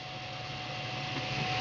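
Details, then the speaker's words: Stock dual-fan cooler on an HD4870 graphics card running about 60°C, fan at about 50%: steady loud airy rush with a thin constant whine, no change in speed. It is the loudest thing in the case. "blem it's loud it's very very loud I don't know if you can hear it right now I'm thinking that you can right now it's by far the loudest thing in the case"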